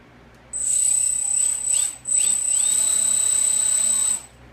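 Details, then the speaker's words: Tiny electric motors on RC balsa cargo plane at about a third throttle; steady high-pitched whine, even tone, decent power despite small size; normal running at partial throttle. "about a third throttle right there and I was nervous before about whether these motors would have enough power to take off because they're extremely tiny for this plane but turns out it actually has a decent amount of power"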